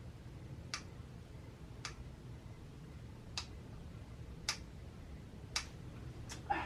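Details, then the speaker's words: 2018 Sur Ron Light Bee MX with EMXRON controller, overheated at an enduro race, throttle applied: sharp single clicks about once a second, no motor spin; the clicking comes from the controller, which fails to drive the motor. Throttle ruled out. "oh yeah it's the controller yeah it's controller in here is making the controllers making it clicking sounds"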